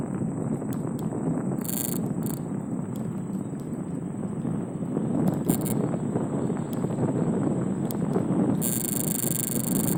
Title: Rattling/vibrating sound on my Ninebot F30E when reaching maximum speed.